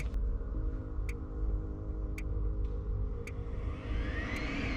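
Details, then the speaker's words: Eberspächer Hydronic 5 kW 2nd-generation coolant heater with fault codes 12 and 15 (overheating/surface sensor), on test before opening: steady even combustion air fan hum with a few clicks, fan working normally; water pump noisy, run dry. "The fan is working."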